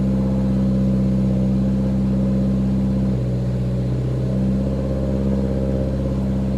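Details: 1990 Toyota Celica GTS after cleaning idle control valve and fixing air flow sensor wiring: idle holds high then sags and climbs within about two seconds, hunting; owner suspects big vacuum leak, cause unconfirmed.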